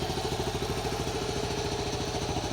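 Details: 1974 Honda C50 single-cylinder, after 5 months sitting: ticking over at a steady, even beat near ten a second with no misses or stumbles; healthy, settled normal idle.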